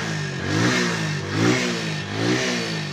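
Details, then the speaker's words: Motorcycle single-cylinder engine that would not run, first start after fitting a new spark plug in place of the blackened, fuel/oil-soaked old one: fires cleanly, blips evenly about once a second, no misses; normal running. "Subukan natin mga katropa yung bagong spark plug. Try natin. Susi, tapos paandarin natin. Iyon o, it's alive."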